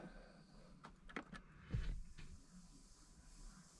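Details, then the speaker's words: Jeep JK Rubicon electronic sway bar disconnect, serviced after water intrusion from deep crossings, in 4WD: a few quiet clicks, a short motor whir and a firm clunk as it engages. The light stops flashing once the Jeep is wiggled. "I'll push the sway bar button. I can hear it. And then I'll take it out. Now it's flashing, so if I wiggle the car, it lined up and turned off."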